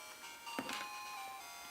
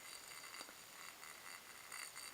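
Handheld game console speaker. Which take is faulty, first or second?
second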